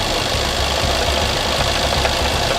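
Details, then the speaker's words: Idle on a 216,000-mile supercharged Range Rover after a coolant line fix, with a fast, uneven knocky clatter over the engine note; no engine light, source not pinned down, engine knocking at idle. "Can you hear that? Something sounds a bit knocky, doesn't it? Oh dear."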